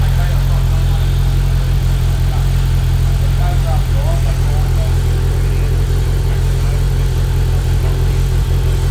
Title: 2025 slingshot rough idle